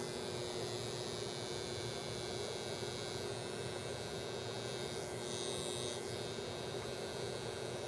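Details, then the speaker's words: Genius SP-HF-1800A multimedia speakers, about 2.5 years on 24/7: faint steady low hum, likely 120 Hz, under hiss with nothing playing. Caused by a bad power-supply filter capacitor and two bad solder joints on the rectifier diodes. "so as you see as you hear it has developed a low-level hum it sounds like it's either probably 120 Hertz possibly 60 Hertz sounds more like 120 that's generally a filter capacitor"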